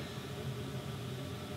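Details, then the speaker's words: 1950s Heathkit W5M tube monoblock amp, already recapped with new filter and coupling caps and preamp deleted, drawing excess current. A constant, steady 60 Hz mains hum that does not change; cause was a cold solder joint lifted in the power supply filtering. "Most would go immediately to the, the caps, the filter caps, or they would say, that's 60 hertz hum, so you have your main AC voltage that's coming from your power cord is somehow getting"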